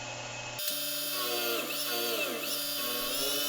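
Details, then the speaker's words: Spindle on a Rivett power feed machining job: high cutting whine whose pitch dips and recovers unevenly under load as spindle speed fluctuates, with torque being lost. The cause is the spindle motor driver board; plastic intermediate spindle-head gears were suspected at first. "At this point, the spindle motor driver board problem is getting fairly severe. You can hear the spindle speed fluctuating quite a bit."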